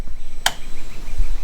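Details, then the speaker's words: 2023 Sea-Doo Spark Trixx pressing start with new battery, solenoid and relay: two sharp solenoid clicks a second apart, no cranking, battery voltage dropping; the starter motor had failed and replacing it fixed it. "That's all we're getting. So, it's just the relay clicking or the solenoid I should say. Everything else seems fine."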